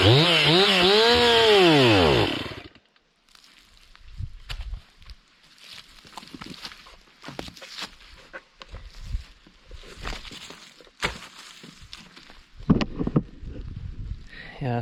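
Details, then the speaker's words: Warmed-up Stihl MS 261 C chainsaw surges unevenly for two seconds, then sags and dies, leaving only handling noises. It bogs and stalls under load again; the tank vent is suspected after an earlier cleaning failed, not replaced, cause unconfirmed. "not good um looks like it's doing the same thing I didn't replace the uh the vent if that's what it was"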